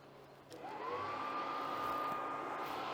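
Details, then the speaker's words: New cheap (under $50) aftermarket heater blower for an old truck, wired straight to a battery, no outside air draw: fan spins up over half a second into a steady even whir; a decent little fan running fine. "got a pretty good little fan. Nothing spectacular, but it'll put out."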